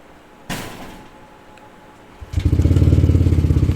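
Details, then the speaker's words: Five-year-old Yamaha Aerox scooter with a former low-idle, no-start ISC problem, started the next day after cleaning. A thump, then it catches into an even putter of three to four beats a second at correct idle RPM. Solved. "wala goods na goods na ' guys yan yung saktong RPM ng aerox 1516 so Ayos na solve na yung ating problem"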